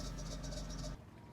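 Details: Late-90s/early-2000s Dodge Caravan 3.3/3.6 L minivan, belt new and uncracked: rapid hissy chirping about nine pulses a second over the idle until shutoff, from a worn, misaligned idler pulley bearing; broken motor mount bolt blamed for the misalignment.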